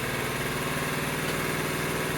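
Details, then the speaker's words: 1975 Honda Z50A after full top end refresh (new piston, rings, cylinder, refreshed head), first kick, choke partly on, carb not adjusted: quick steady putter, slightly lumpy with a small stumble but firing evenly; runs well. "Unreal. Oh my god. I stumbled a little bit there, but hey, not too bad for not even adjusting the carb."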